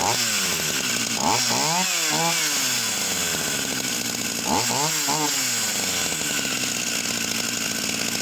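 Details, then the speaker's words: Vintage Husqvarna 44 chainsaw, previously seized on eBay, un-seized: revs surge and sag in uneven bursts, never settling to idle; cuts out and backfires off throttle, floods when high needle touched. "The minute I take my finger off, it will cut out and it will start to backfill."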